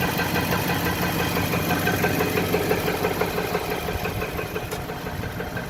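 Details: 2018 Nissan with 30k miles, idling in drive with the handbrake holding it: a quick, regular ticking knock, about three a second, over the steady idle; engine knock, cause not yet found.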